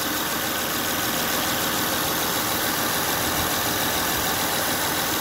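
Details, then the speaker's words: 2005 Honda Odyssey after replacing the failing power steering pump and refilling the reservoir: steady, even idle with a light hiss and no power steering whine. "now let's see if the noise goes away or not start there you go no noise"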